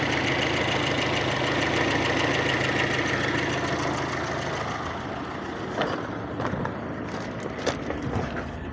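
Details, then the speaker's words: VAZ 2112 with 2111 engine, warmed up, idling evenly and steadily with no misses, knocks or smoke before a compression test. Normal warm idle. "Двигатель у нас прогрет. Дыма нет. Двигатель не дымит. Работает ровно."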